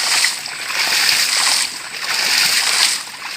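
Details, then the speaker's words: PVC 4 in hydraulic ram pump with 3 in drive pipe and a very low drive head; water surges slowly about every 1.5 s, strong push but sluggish waste valve action because drive head is too low. "Airnya, dorongannya cukup manis, cukup mantap, cukup kuat, tapi gerakannya klep cukup lambat. Nah, klep seperti itu. Dorongannya kurang bagus karena sisi tingginya adalah terlalu rendah banget, jadi untuk daya dorongnya cukup tidak begitu kencang."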